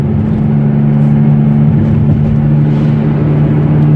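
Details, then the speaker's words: Toyota Etios coasting in neutral downhill on level road: steady low humming drone over road rumble; suspected worn front wheel bearing, front right side, to be checked at workshop. "ഈ ഒരു സൗണ്ടാണ് humming noise. Wheel bearing പോലെയാണ്, front side wheel bearing ആണ്, ഫ്രണ്ടിൽ നിന്നാണ് കൂടുതൽ sound വരുന്നത്."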